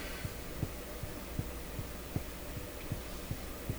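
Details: Graetz Polka tube radio after replacement of its molded capacitors, fault traced to the audio circuits: a steady low putt-putt throbbing of about 2.5 beats per second from the speaker. Motorboating oscillation, later solved simply after a lucky observation.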